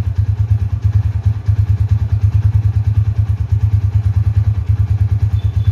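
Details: Tiger Revolution 2011 limited edition motorcycle, about 10,000 km, being revved: strong steady low thumping with crisp even pulses; runs cleanly and sounds healthy.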